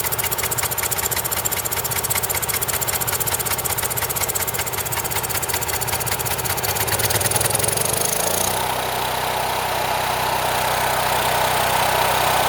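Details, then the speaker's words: Champion 6,000 W running / 7,000 W peak generator, sat about 2 years, new battery, after repair: loud steady rapid firing settling to a lower even note after a few seconds; runs smoothly, though mechanic says Champions run lean. "but it's running pretty good these Champions are okay generators they're not my choice of generator but yeah definitely loud"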